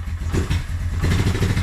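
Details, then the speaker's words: Suzuki Quadrunner 250 ATV stored about 7 years with sludgy oil, first start cold on choke in neutral: lumpy, uneven single-cylinder putter that surges and sags, smoking a little; rough cold running. "little cold blooded yet i can't believe how easy this thing started all right she's smoking a little bit but it hasn't been run for a long long time good several years"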